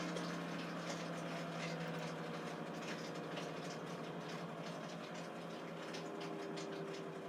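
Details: 11-year-old Samsung WF419AAW/XAA front-load washer, after repair of tub wobble, spin banging and no-drain: steady, even drum hum at full spin with no knocking or banging; tub runs smooth and balanced after the fix.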